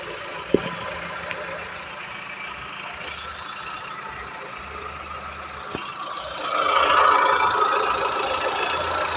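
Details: Engine under acceleration: quick tapping about four times a second that swells as revs rise; cause unconfirmed, some suggest lifters, others the water pump.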